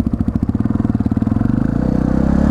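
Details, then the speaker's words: 1999 Yamaha TTR 250 in neutral after the carburetor idle screw was properly adjusted (the fuel-air screw had been mistaken for it). It gives a crisp, even single-cylinder thump and a steady, quicker idle; runs better than in a while. "this thing is running better than it has in a while"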